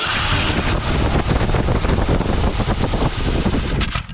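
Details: Ford 302 V8 in a donor car (1983 Thunderbird, 1977 Granada or 1972 Comet GT), cranked with open carburettor holes finger-plugged: ragged running with loud irregular pops and bangs, then cuts out. It backfires through the carburettor, which needs adjustment.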